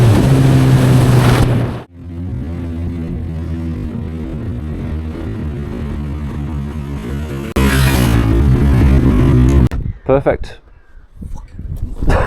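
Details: Honda CB1000R that struggled to start when hot, after rectifier and new starter replacement: brief cranking catches quickly into a steady, even idle with a clean rev blip; starter seems marginally stronger; normal engine start.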